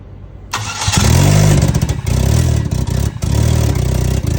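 Starter cranks briefly, engine fires within a second, revs up, then dips and recovers a few times; starts and keeps running.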